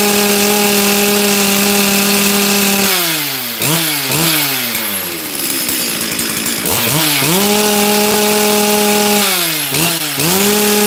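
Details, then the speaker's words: Chainsaw with a brand new carb, previous carb behaving the same, low jet being adjusted: screams at high revs, then sags and blubbers repeatedly, as if limited. Running extremely rich. "it's rich though like stupidly Rich you guys can hear that it runs fine for a minute and then it it feels like it has a limited carb"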